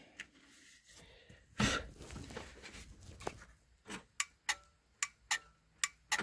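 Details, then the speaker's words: Kawasaki Mule 3010 no-start, with a new starter already fitted: the starter relay clicks two to three times a second but the engine never cranks, so the relay is not the fault. "you can hear it clicking so something's happening so it's not the starter relay"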